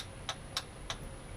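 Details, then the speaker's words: Mercruiser 4.3 boat engine after fuel line and filter replacement, loose ignition switch: key on gives only three sharp single ticks about a third of a second apart, no cranking; battery appears dead, later jumped and ran. "Yep, looks like the battery's dead. So I'm gonna fiddle around with these wires, probably put the jumper on it, and we'll see if this thing cranks over."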